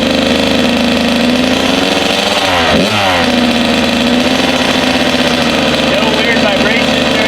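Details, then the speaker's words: Rebuilt Kawasaki KX 85 two-stroke, first start, 140 main jet, needle clip set, 32:1 premix; crisp, even buzz with one quick throttle blip settling straight back to a steady idle, some smoke, no rattle; running healthy. "Sounds good. Yeah, and we were running that gas in Mike's recordings KX last week, so 32.1, nothing froze up. Yeah, it sounds really good"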